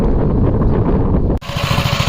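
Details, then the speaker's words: 1961 Gravely L tractor after the replacement governor was fitted (one rod slightly bent, may need adjustment): engine thumps evenly, dips briefly as load hits, then settles back to a steady beat; the governor is now holding speed properly. "But I could clearly hear the Govenor working properly now."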